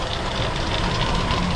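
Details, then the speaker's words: 1977 Ford LTD station wagon, first run after 17 years in a junkyard: rough idle with a loose, marble-like rattle from the accessory drive; owner suspects the AC compressor, source unconfirmed. "that's almost sounds like Marbles and I think it's that uh AC pump"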